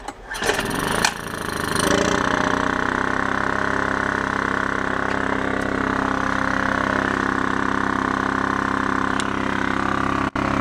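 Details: Scrapyard Honda EX650 generator, tank flushed and fuel changed but carburetor still holding premix: started on choke, a few rough cranks, catches within two seconds, then a smooth, steady, even run. Healthy.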